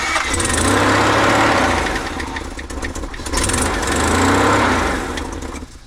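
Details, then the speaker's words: 1987 Toyota Hiace van, second test start after a new exhaust was fitted: ragged, surging run that swells twice and fades with a raspy chuff; the exhaust still leaks and compression is low again, so it won't keep running on its own. "Well, that doesn't sound good. Shit. So not only was the exhaust leaking, Joey was no longer running on his own steam, and we haven't even moved him yet."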